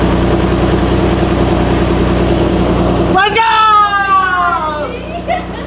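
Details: Car on first start after a top-mount turbo kit install, charge pipe loose, not driven; steady, even idle with no ticking or puffing, then switched off and whines down; normal idle.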